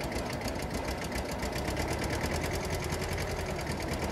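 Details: Bobcat 543 with 2-cylinder Isuzu 2AA1 diesel, cold start after 20–30 s of glow plugs: catches with a fast, light clatter that stays thin and unsteady, struggling to settle; hard cold starting, cause unknown (fuel bleed-back, compression, glow plugs or air suspected).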